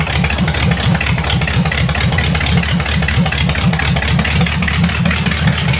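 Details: Vintage nailhead V8 rail dragster, carburetor floats fixed after earlier poor running and a non-working accelerator pump, started without choke: loud, lumpy idle with a steady rhythmic lope and no misses or knocks; runs even and healthy.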